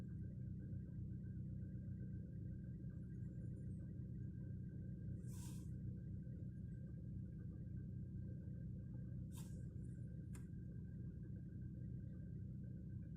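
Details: Volkswagen Polo sedan during cold warm-up, EPS warning light comes on: low idle rumble with uneven, irregular stumbles instead of a clean beat; engine misfiring while warming up.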